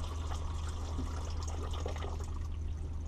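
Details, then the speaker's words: 2000 Sea Ray 34-foot boat, freshwater pump troubleshot for low pressure: steady full water rush over an even pump hum, no sputtering. Solid stream, normal water flow. "looks like pretty solid looks like a pretty solid stream so i hear the pump running"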